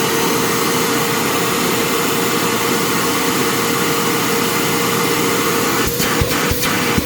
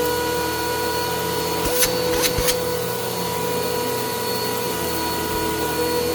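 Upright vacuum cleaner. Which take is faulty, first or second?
second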